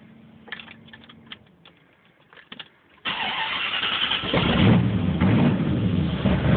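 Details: 1980 Corvette TPI, warmed up after driving: takes several starting attempts before it catches, then a very rough, lumpy idle that needs throttle held to keep running; hard start and rough idle.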